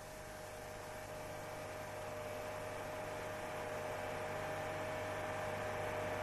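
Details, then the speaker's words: Engine at 4200 rpm: steady low droning boom over engine hiss as engine vibration makes the exhaust pipe resonate through an incorrectly installed pipe support, vibrating the body and cabin air; owner complains of the boom; exhaust resonance. "владелец этого автомобиля жалуется на появление Гула когда двигатель работает при 4200 оборотах в минуту колебания двигателя приводят к вибрации выхлопной трубы"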